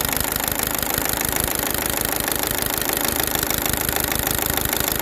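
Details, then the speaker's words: Chevrolet Cruze LT engine idling with a busy metallic clatter from the timing gears, traced by ear to the intake-side camshaft gear; mechanic plans to check oil pressure with a gauge, as on a previous Cruze with this noise. "bueno Al escuchar bien el que nos está haciendo ese ruido extraño es el engrane el lado admisión"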